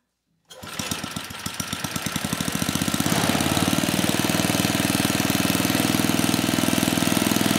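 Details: 34-year-old Tecumseh H30-35387Y on a Troy-Bilt Tuffy tiller, with a new clone carburetor after a no-compression repair; fires straight up, climbs quickly to a fast steady run near four beats per second, no misses; runs healthy.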